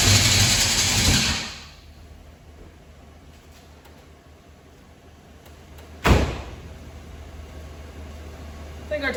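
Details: 1978 Pontiac Firebird Trans Am after sitting two years in a field: loud rough burst that fades within a second or two, then a sharp catch that won't keep running; hard start.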